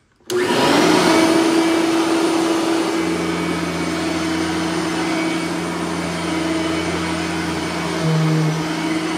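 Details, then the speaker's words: Bissell 3510-9 (9 amp) upright vacuum on high setting in hallway, brush roller bearings freshly greased; steady even motor roar, no surging or rattles; normal operation. "this we're gonna have to put it on high because it will pick up the uh it will pick up the rug"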